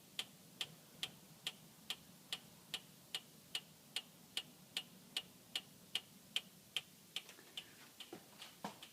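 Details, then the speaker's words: 2014 Acura MDX SH-AWD, rocked gently, mic in driver's front wheel well: sharp, light metallic ticks about two to three a second, same as ticking heard driving 5-40 mph, worsening over 500 miles. "we were finally able to do so uh by just gently rocking the car it uh makes the same exact noise as uh when you're driving the car"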